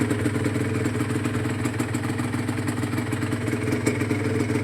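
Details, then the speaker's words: Rebuilt Honda NSR150SP two-stroke with new bottom end, warm idle and light revving: slight steady rattle over engine note, quieter than before; owner suspects piston or cylinder, still noisy. "ก็มีคัดังนิดหน่อยมีคัก็เงียบขึ้นนะครับอ่าก็ยังมีเสียงอยู่น่าจะเป็นที่ลูกสุบเสื้อสุบนะครับที่มันยังมีสอนอยู่นิด"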